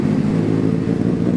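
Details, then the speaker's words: 2003 Honda CBR600RR fitted with a 2006 replacement engine (2,300 miles) after a spun rod bearing, plus Power Commander and K&N air filter; first run on a cold night, brief even inline-four hum with no knock or rattle; replacement engine healthy. "How does it run, Vinny? How does it run? Did it run good? Like butter. Like butter."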